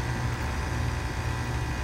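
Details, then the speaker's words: Heat pump outdoor condensing unit in heat mode after replacing the old capacitor, which previously gave no compressor hum: smooth, even low hum with steady fan rush, no knocks or rattles; compressor running properly. "you can hear the fan running but the compressor was not humming some heat"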